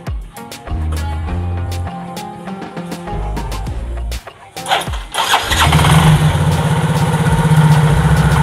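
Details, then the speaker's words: Yamaha Mio J scooter that would not start, after fitting a new spark plug to replace a crusted one: the engine fires up and settles into a steady normal idle. "motornya sudah bisa hidup Ya ini jadi kita melakukan penggantian busi baru"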